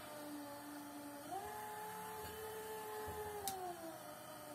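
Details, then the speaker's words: Hmelnitsa 37-litre home brewery mixer, 36 W motor, run with hand resistance that cannot stop it: steady fairly quiet hum dipping slightly under hand load then recovering; normal running under load, good torque. "Хороший, могучий мотор. Написано 36 ватт."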